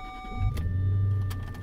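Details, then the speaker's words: Jaguar, recently fixed up again, heard from inside the car at start-up; the engine catches within half a second and settles into a deep, steady low rumble with no misses or knocks. Normal start and idle. "I've always loved this thing's low rumble. It's got a really good sound to it."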